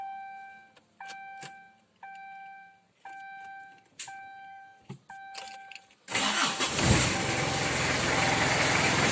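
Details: 2000 Kia Sportage converted to a Mazda R2 diesel engine, after a fuel supply fault that stopped it was fixed: a few sharp chimes, then it catches at once and settles into a steady, even diesel clatter; normal idle.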